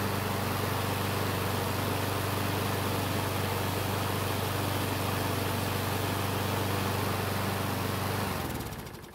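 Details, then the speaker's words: Craftsman mower that stops when hot and smokes, restarted by adding fuel into the carburetor throat; runs evenly at about four beats a second, then fades and dies in the last second; stalls from fuel starvation. "so it looks like we have some fuel issues we need to take care of and we also want to take a look at the top of the engine and see if there's a reason for that smoke"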